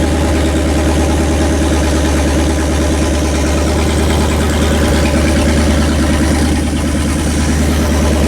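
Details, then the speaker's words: Rebuilt Pontiac 400 V8 break-in run on a homemade engine run stand, after an earlier flat-tappet cam lobe, lifter and bearing failure: deep, steady, even loping idle with no knocks or ticks. The engine is running healthy; only valve cover oil leaks noted. "great success ha Pontiac is behaving itself that is good news"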